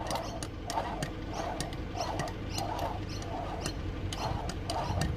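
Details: Mercedes-Benz W124 300CE-24 emissions air pump, removed and spun by hand after it came apart: dry uneven ticking about twice a second with rough scraping, failed bearing, clutch destroyed; worn air pump bearing.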